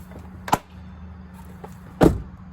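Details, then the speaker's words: Kia Soul: a sharp pop as the door opens, caused by the door catching on a plastic piece in the door jamb; a common problem on this car. "is your Kia Soul making this popping sound when you open the door"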